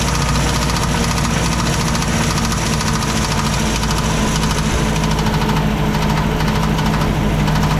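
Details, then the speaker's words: 1986 Mazda B2000 2.0 idling after a Weber carburetor swap: a faint, uneven knocking that comes and goes, sounding like rod knock. The owner suspects something slapping the valve cover. "I just don't know why that noise noise is so intermittent"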